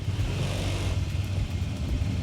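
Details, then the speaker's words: Honda ADV 160 at about 1,000 km after CVT service for judder at take-off (Bromo dust, overheated, scratched CVT bowl): smooth, even low rumble on light throttle, judder gone, slight vibration remains, idle unchanged; CVT sounds healthy. "Tapi kalau misalnya kita gas dikit lebih halus. Udah enggak gredek gredekan kayak kemarin."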